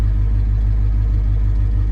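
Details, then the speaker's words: 1984 Ford F-150 302 V8 idling after new oil pump installed, oil pressure 70 psi; engine had been chewing an old dipstick tube piece: deep, even rumble with no knocking or ticking, nothing sounds bad; normal idle. "that's what I'm talking about and it's not too loud at idle so uh I can hear stuff nothing sounds"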